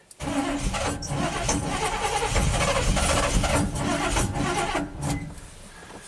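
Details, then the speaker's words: 1987 GMC Sierra plow truck V8 with throttle body injection, fuel gauge teed into the feed line: steady starter cranking with no firing; pressure reaches only 6-7 psi and drops, against a 9-13 psi spec; crank, no start from low fuel pressure. "So we're up to 6, 7 psi and it's dropping. Okay. The spec is 9 to 13."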